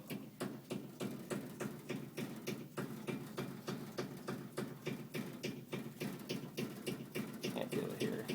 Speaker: so this is the sound that the air conditioner unit is making this copper pipe is vibrating whatever it is but it's not the pipe itself but i can feel the thump coming through it